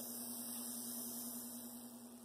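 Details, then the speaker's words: Athearn Blue Box SD40-2 tuned motor turned down to typical operating voltage, creeping unloaded on bench: steady, even mid-pitched hum, no chatter; sounds as it should; stalls at 0.3 A at this voltage. "Yeah, so it doesn't have a ton of torque. So I'm guessing your kind of creeping speed is going to be more around 4 or 5 volts. With no load, it should sound like that."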